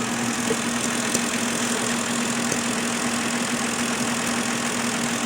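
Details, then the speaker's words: 2011 Kia Rondo with P0441 code, purge solenoid unplugged and canister hose removed at idle: steady airy suction hiss over a smooth idle; normally closed purge valve stuck open, pulling about 17.5 inHg vacuum. "now we're gonna take and hook up the vacuum gauge and as you can see we are reading roughly a table seventeen and a half inches of a vacuum on to this now don't forget this valve is supposed to be normally closed"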